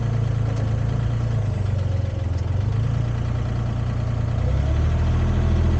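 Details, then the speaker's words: Used Komatsu PC10-3 mini excavator diesel at low idle, set just high enough to keep the battery charging: an even, steady chug with no knocks or misses; normal idle. "that's the sound the machine makes it low idle uh just enough to keep the battery charged and not discharging"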